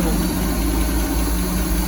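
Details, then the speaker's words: 1979 Bayliner boat's vintage inboard engine after fuel line replacement, oil pressure up and charging, idle lowered slightly: steady, even low hum with no knocks or misses and very little blow-by; running healthy. "RPM gauge is not working. But Pretty good. it's running. Sounds good."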